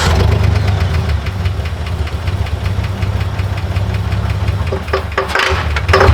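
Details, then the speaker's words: Truck engine after sitting for weeks, started on starter fluid: lumpy, rough idle with fast sharp tapping and surges, only running while fluid is pumped; owner suspects lifter tick, cause unconfirmed. "Yeah. It would not run anytime I wasn't pressing this button. >> Yeah. And it sounded really bad. >> Yeah. Extremely bad."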